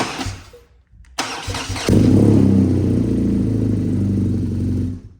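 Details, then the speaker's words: BMW R NineT Racer boxer started briefly in neutral right after an oil change with a dry oil filter, to circulate oil (takes 4 litres); starter whirs, engine catches to a steady even idle, then shuts off cleanly; healthy start. "Okay, so we're just going to fire it up because again we've got to get the oil lubricating."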